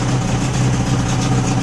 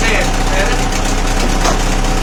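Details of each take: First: Old two-stroke outboard after fuel filter repair, full throttle with choke off, steady even idle buzz with no misfire, rattle or hunting; sounds sweet, but little or no cooling water coming out, to be checked. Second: Old two-stroke outboard after fuel filter repair, steady putter at fast idle with slight unevenness in the beat; cooling water coming out, running but not perfectly smooth.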